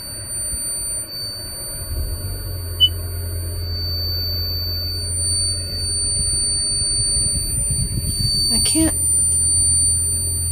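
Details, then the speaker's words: Van with push-button start, at startup after pressing brake: thin steady high-pitched whistle over a quiet low hum, persists until the vehicle is turned off; source unknown. "i wanted to let you hear this high-pitched whistle sound that comes when i turn it on"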